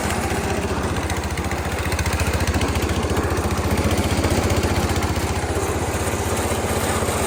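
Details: Massey Ferguson 16 garden tractor with old Kohler single-cylinder engine, revived after sitting since about 2013 and fitted with a replacement aftermarket ignition (33-393): steady thump at about 220 per minute, even, no misses or knocks; running healthy.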